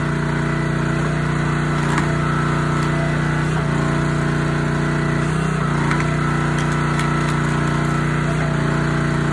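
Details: Honda GX160 SplitFire wood splitter after carb clean and oil change for bogging when splitting; smooth, even engine note holds steady through splitting load without hunting or bogging, running healthy.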